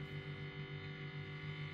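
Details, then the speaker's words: Used Ibanez 7-string electric guitar through an amp sim/distortion, strings untouched: steady low mains hum with buzzy edge; selector not grounded and cavity unshielded. "and when I'm touching any metal Parts in a guitar the noise will go away but the strange thing is when I touch the pickup selector the noise will actually [Music] amplify my assumption is that the pickup selector is not connected to the ground Loop"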